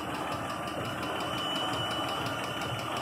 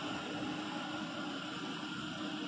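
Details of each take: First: 2014 Jeep Grand Cherokee V6 idling with a steady light ticking knock about three a second from a failed roller rocker arm and worn camshaft; camshafts, rockers and lifters being replaced. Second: 2014 Jeep Grand Cherokee V6 after camshaft, rocker arm and lifter replacement for engine noise: steady, even hum with a faint light whine and no ticking or knocking; idles smoothly.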